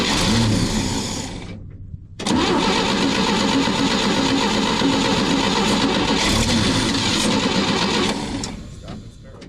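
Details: 1961 Chevy dump truck after a dead or low battery left the starter stuck: a steady churn of about four turns a second that keeps going without catching. Long crank and hard start; old gas and the carburetor are suspected.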